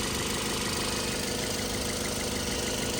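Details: 2012 Toyota Yaris at idle with no load (headlights and AC off), reman alternator fitted and belt adjusted so it no longer squeaks: quiet, steady, even hum with no belt squeal or chirp. Charging at 14.1 V, which is normal.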